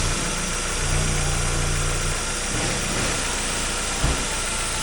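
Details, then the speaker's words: 1999 Mazda Miata, 1.8L, 5-speed manual, 166,000 miles: steady, even idle with no knocks or misses under background noise; runs fine with a little blow-by, nothing serious. "Runs just fine. Got a little blow by, but nothing crazy."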